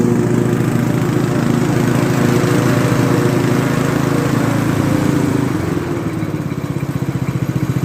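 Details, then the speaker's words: Craftsman T100 mower after restoration with a new belt: even engine drone with a smooth deck hum winding down near the end. The earlier marble-like rattling in the deck is gone; normal running. "not exactly sure what it happened but the deck actually sounds like it's supposed to Mary's going to be happy the whole neighborhood is going to be happy because it's not going to sound like a bunch of big ass marbles running around in the steel drum"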